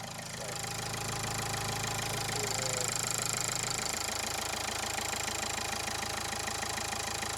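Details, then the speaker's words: 2015 Dacia Logan MCV, 153,240 miles, warm idle after oil change and hydraulic lifter additive plus about 200 miles of driving: a steady quick tick, about three a second, over a lumpy idle; lifter tick suspected, little improvement. "It is a bit of a noisy engine in general anyway, because, you know, it's done 153,240 miles."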